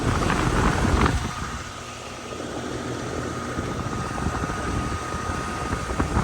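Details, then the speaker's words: Air conditioner after new capacitors, with the contactor pulled in at 25 volts and fuses good: steady low hum with faint even tone over fan rush, no clatter or buzzing; normal compressor running. "Yeah, baby. Sounds like a compressor. And we got heat."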